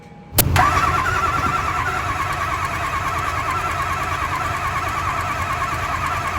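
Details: Diesel mega mud truck first start after rolling into a pond, oil put into cylinders to restore compression and seat rings: quick crank, catches at once and settles into an even, steady idle with no misfire or knock.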